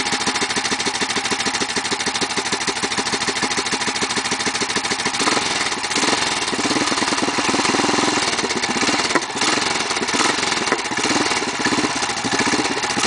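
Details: BSA B50 single-cylinder at idle, started after sitting 7 months; steady, even thumping with no misses or knocks; no hard starting, engine runs healthy.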